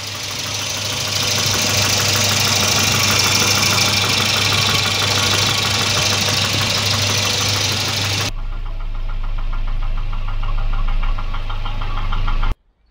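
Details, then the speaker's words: Volvo 240 Redblock B230 warm after thermostat swap to 92 °C unit, gauge just over half: fast light knock as it runs, piston slap still present but much reduced, no longer turns heads. "so now that it's actually getting up to temperature the slap is still there but it's much less and it's and it's good enough now it doesn't turn heads anymore"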